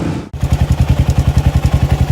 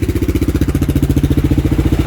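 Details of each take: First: Kawasaki single-cylinder: steady thump with a fast, regular tick about three per second from inside the case, heard before it was pulled off the road; the balancer chain had no tension because the doohickey tensioner spring broke, and the chain chewed the crankcase. Fixed with an Eagle Mike kit. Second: Kawasaki single after a doohickey (balancer tensioner) replacement with the Eagle Mike kit and the chain tension slackened: steady, even thump at idle, no ticking on top; the ticking from before is gone, running smoothly.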